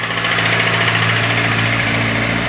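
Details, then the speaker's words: Renault Clio Sedan 2003 1.0 16V at idle, oil cap broken: fast, light ticking knock over the engine note; suspected head refitted with wrong or reversed gasket starving top-end lubrication, though it resembles rod knock; head to be removed. "mas esse barulho pessoal tô suspeitando que montar o cabeçote com a junta invertida com a junta errada"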